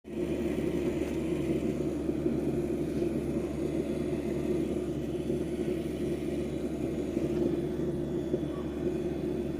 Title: HKT Japan Pump making noise (ENGINE IS NOT RUNNING) | Corolla 2002 Se Saloon 1NZ-FE